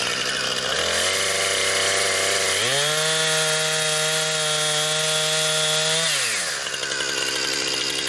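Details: Brand-new Husqvarna 460 Rancher chainsaw on its first run, cutting pine firewood: a clean rising tone as the throttle opens, steady at high revs through the cut, then an even drop back. It is strong, healthy and powerful from its big motor.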